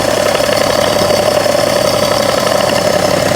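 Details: 2011 BMW 335d, 286 hp, 205,000 km, warm idle: intermittent light ticking from the front near the damper pulley, about 2 seconds every 3 seconds; gone when cold, vanishes off idle, quieter with A/C on; cause unknown.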